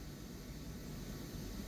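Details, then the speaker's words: G5 ventilator in NIV mode: soft, steady whooshing air rush with occasional hissing over a faint low hum as it blends air and oxygen for FiO2, quieter than other units; normal blending noise, not a breath. "It makes quite a bit of whooshing noises. Okay, this one seems to be much quieter than the other ones we seem to work with. Also, you will hear occasional hissing like a whoosh. It constantly is churning air and oxygen to get your mixture right."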